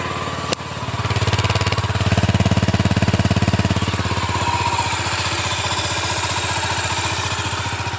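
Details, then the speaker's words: Stock Honda GB500 single with stock muffler, kick-started on choke after carburetor cleaned, quiet; steady single-cylinder thump about three beats a second with classic Honda whine, no knocks or rattles, idles off choke; healthy. "like it has a classic Honda wine all the stock bikes have that just sound to them all the old Hondas even at have my 750 parked over there even that does it with the stock Mufflers"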